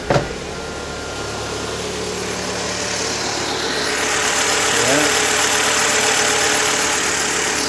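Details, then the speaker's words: 2006 Mini Cooper after fixing a no-start, no-spark fault by realigning the EWS immobilizer; engine catches and settles into a steady even run with a faint rising hum, no misses or knocks, normal running. "okay all we needed was what I call the EWS or the immobilizer to be readjust"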